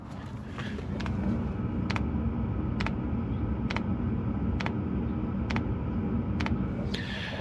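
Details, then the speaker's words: 2023 Mercedes Sprinter van conversion, with the heater fuel pump mounted close to the fuel tank and the heater idling at 65 degrees inside: sharp, even metallic clicks about once a second over a low rumble, normal pump operation. "That's what it should sound like in normal operation, as the heater is running right now."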